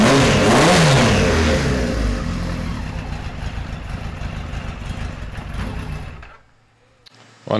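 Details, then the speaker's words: 1973 Kawasaki Z1 900 four, started with enricher after plug caps swapped to non-resistor: revs rise then sag unevenly with a ragged, stumbling beat, nearly dies, won't hold idle, worse than the day before; cause not confirmed. "it's not running as good as it did yesterday he just doesn't want to run little bit better"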